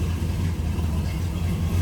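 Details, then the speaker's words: 1969 Plymouth GTX convertible, numbers-matching 440 V8, odometer 75,731 (unconfirmed), restored: deep, steady, even idle burble with no ticks or stumbles; healthy, smooth-idling V8. "Nice running, nice sounding car. A little rumble out of that 440 underneath the hood."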